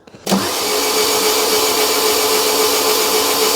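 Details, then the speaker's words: Fiat Doblo van engine rebuilt after snapped timing chain and rockers replaced; injectors out, starter spins engine freely with even fast whirring, no compression chugs; normal cranking. "15. So, that sounds good."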